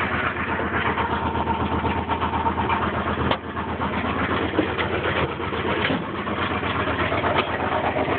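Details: 1995 Subaru Impreza, rough idle: dull repeating knock riding on the engine beat at low speed, consistent with a worn rod bearing; knock persists after oil change and additives.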